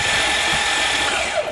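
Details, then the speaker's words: Hydrolocked van, intake manifold off, cranked to blast water out of cylinders: quick, even starter whirr with no compression strokes slowing it; engine has no compression, starter motor good. "well that's what the engine sounds like with no compression at least the starter motor is good"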